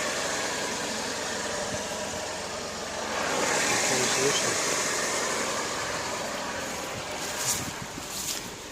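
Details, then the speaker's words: Honda Accord 7th generation 2.4 L 190 hp at idle, no oil burning; steady smooth idle without knock, though it knocks when throttle is pressed. "холостых работает изумительно вообще. Так, масло не горит. Ничего не горит, все нормально."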